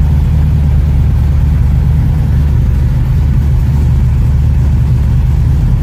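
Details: 1969 Ford Mustang V8, in neutral, first start in about six months: deep, even rumble holding steady with no stumble or misfire; pulls cleanly and runs healthy.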